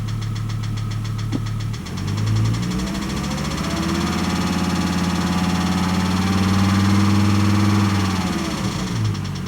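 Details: 1998 Volvo S70 T5: a steady, fast ticking knock under the engine note that quickens as revs rise; the ticking turned out to be rod knock.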